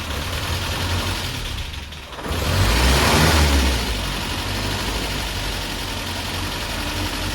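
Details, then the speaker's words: Land Rover Series 3 first start after a head gasket replacement, first run in months, with an intermittent starter motor; it catches, surges, then settles into an uneven, lumpy idle with clatter; owner wonders about valve clatter or low oil; timing then checked. "Okay, so that is really rough, but it did start. That sounds pretty good. Bit clattery."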